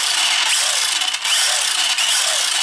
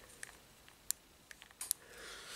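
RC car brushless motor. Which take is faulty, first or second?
second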